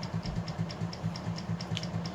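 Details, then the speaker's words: Plantation Fan Company 48-inch ceiling fan with a universal motor, run on medium to high. A sharp tick about four or five times a second over the low motor drone comes from the loose, stripped stationary shaft rattling. "you can hear that stationary shaft rattling though"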